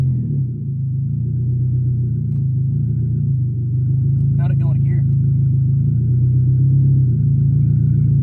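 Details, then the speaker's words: Junkyard Nissan Altima coupe with an open header, exhaust not yet fully connected. Steady, even, loud but smooth low rumble at idle with no knocks, misses or ticks. Sounds healthy: normal idle. "not bad at all and it sounds really good it it's like healthy it's an open header right now so until we get the exhaust hooked all the way up we won't really know but it does sound pretty dang decent as it is"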